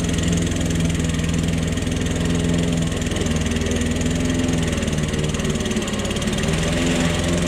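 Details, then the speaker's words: Old Toro lawnmower that sat for years, cutting grass. The single cylinder holds a steady, even chug with no surging or dying out. The owner suspects a sticking float dripping fuel. Normal running under load. "folks that's it the yard is mode and uh that's it that's all it took to get her fired up"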